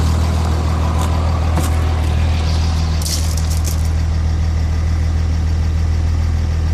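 Heavy diesel idle with a lumpy, uneven low beat around three per second and a slight shake in rhythm; rough idle, cause unclear.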